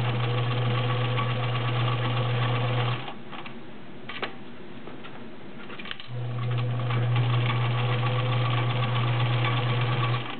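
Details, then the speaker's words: Vintage White Model 764 all-steel sewing machine, 1.3 amp motor, sewing 7 layers of real denim: steady fast thumping stitch rhythm about four per second, pauses then resumes evenly; runs smooth; normal running under heavy load. "Very quiet, as you can hear. Nice balanced stitch."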